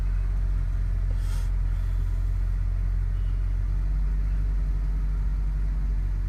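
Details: BMW E60 535i cold start: deep, uneven idle rumble with a loping, irregular beat on a cold engine. Rough idle, cause suspected but not confirmed.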